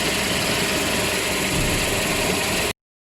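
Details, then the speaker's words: Toyota Hilux after clutch release bearing lubricated, engine running: smooth even hum, earlier cricket-like chirp from bellhousing gone; quiet release bearing. "Setelah semuanya terpasang dan mesin dihidupkan tidak terdengar lagi suara jangkrik dari transmisi ini telah kita lakukan pelumatan"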